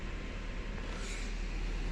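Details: 2010 Honda Civic with code P0118: a steady, raised idle and a high temperature reading because the coolant temperature sensor signal is faulty. After the code was erased and the engine restarted, the rpm and temperature returned to normal.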